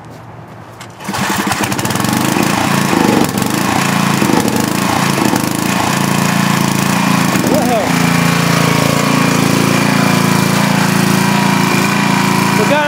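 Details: 5000 W Coleman generator with a 10 hp Briggs engine just rebuilt for smoking, on a temporary gas tank, producing 213 V: engine picks up and settles into a steady, even drone under load, no misfires or hunting; runs healthy.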